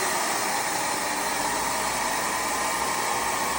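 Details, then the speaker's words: Homemade two-stage bladeless turbine, running fast: only a steady even airy hiss, no knocks, scraping or rubbing; spinning smoothly and very quietly despite bearings with too much friction, due for replacement. "can't even hear it. You can't hear this at all. You can't hear a damn thing."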